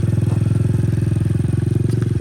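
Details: 2003 Honda XR50 after carburetor setup and adjustment: small single-cylinder thumps at steady idle, about twenty pulses a second, even and unbroken; idles normally.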